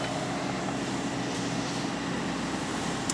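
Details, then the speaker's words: Mazda CX7 after EGR valve replacement for P0401 code, just started: even, steady hum with no misses, surging or rattles; no check engine light yet, normal idle. "If it starts and runs, I'd say that's a good start. Alright, we are off to a good start."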